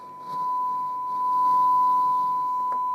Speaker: so I can hear that the signal at 1 volt going in is pretty clean